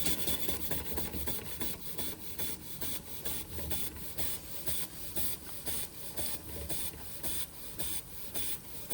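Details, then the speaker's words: Josef Falk 456 overtype model steam engine, non-original burner, cleaned and oiled after it initially would not run on air: even hissing beats a bit over two a second, light clatter, running healthily at full speed. "But, a lovely machine. Lovely machine. It's clean. And it's as fast as it can go."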